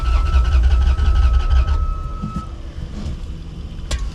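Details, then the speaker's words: 1989 Dodge D250 that sat over 12 years, cranked: the starter churns at about four beats a second, it barely catches, then dies; fuel is not reaching the carburetor, and a fuel pump fault is suspected. "I think we got something else wrong. Not as easy as I hoped it was going to be. Just not getting fuel up to the carburetor."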